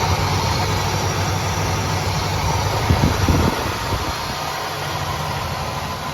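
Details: 1976 Oldsmobile Cutlass Salon, original V8 with about 54,000 miles and many gaskets replaced last winter, cold start after 24 hours: steady, even rumble on the fast idle circuit, no knocks or misses; runs smooth like a kitten.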